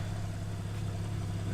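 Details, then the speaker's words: 2013 Porsche 911 Carrera S Cabriolet at pre-purchase inspection; deep even idle rumble, steady beat, no misfires, ticks, knocks or leaks, exhaust sounding tight. Normal idle. "not hearing any misfires so that's good sounds like it's running pretty pretty strong here"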